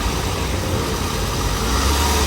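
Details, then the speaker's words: Toyota Wish after repairing overheating and weak A/C: smooth, even idle with the steady whoosh of the radiator cooling fan now running and no surging or knocking; cooling fan works normally again. "ลองดูตอนนี้พัดลมระบายความร้อนทำงานแล้วเรียบร้อยนะ"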